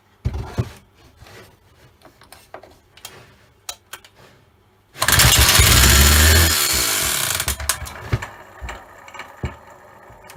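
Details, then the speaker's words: Old Stihl 08S chainsaw, first start in a while on premix squirted down the bore: catches and runs loud about two seconds with a rough, clanky top-end rattle, then dies. Cause unconfirmed; fuel lines and carb to be checked. "runs it's a bit noisy it's a bit clanky one of its uh top ends rattling a bit"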